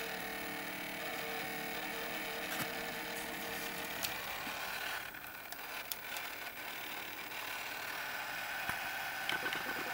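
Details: Panasonic NV-S70/NV-S85B S-VHS-C camcorder: thin whirring hiss with scattered small clicks and ticks, no steady rhythm; noisy tape mechanism, cause suspected, not confirmed.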